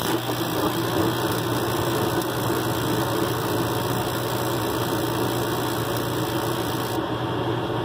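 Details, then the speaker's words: Mr Heater Big Maxx after the pressure sensor fix, just ignited on a call for heat: a steady, even rush of inducer fan and burner flame with no rattles, pops or flutter. It is running normally with the standard fast-blink LED. "There we go, normal operation, standard fast blink."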